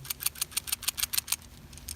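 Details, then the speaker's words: Old PCV valve removed from a 2000 Saturn SL2 and shaken by hand gives a dull rattle; a new free-moving valve, heard here, gives a crisp, sharp clicking rattle of about seven clicks a second. "And you can tell, you see how it's a dull rattle as opposed to the more crisper."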